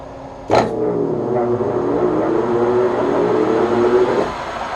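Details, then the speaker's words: Webb Whacheon lathe on a phase converter, switched to 1800 rpm setting: motor spins up with a rising whir, runs a few seconds, then cuts out as the converter's safety trips; owner suspects too much load on the lathe motor. "all right so what happened there was my face converted just tripped"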